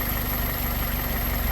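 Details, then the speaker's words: 2001 Toyota Corolla 1.8, scope on cylinder 4 with 60 A clamp and filter: steady even idle, smooth low hum, no stumble or skipped beats; cylinder working fine. "porque como está trabajando bien el motor ahorita el cilindro está trabajando bien no hay ningún problema"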